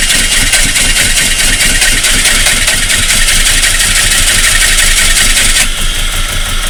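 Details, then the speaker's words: Volvo 480 2.0 after timing belt replacement and valve adjustment: steady fast cranking thump for seven seconds, engine never picks up; suspected wrong timing, cause still unfound. "So yeah, that didn't really work. After consulting my Volvo group and other people, the only logical explanation would be that the timing is wrong."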